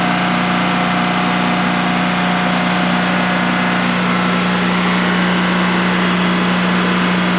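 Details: DuroMax XP15000HX generator in a shed, second start after installation, running on propane with the exhaust fan off: a steady, even idle with a constant low hum and no knocks or misses over a 5-minute run. Normal idle, no issues.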